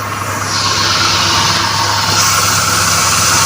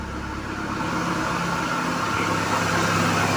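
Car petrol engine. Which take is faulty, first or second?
second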